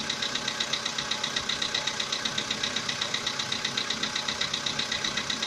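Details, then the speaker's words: Volkswagen Polo Sedan, CFNA engine, about 80,000 km: sharp, regular ticking knock at idle, two or three a second, loud enough to hear in the cabin; it began roughly 3,000 km ago, source unknown. "Застучал мотор. Ну, даже в салоне слышно."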